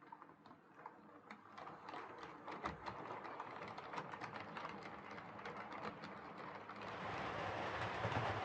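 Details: Hornby R2553 Princess Coronation Class "City of Bristol" model locomotive after repair of mangled rods and noise issues: quiet, even clicking over rail joints, motor hum building as it nears, no stalls or stutters; normal running.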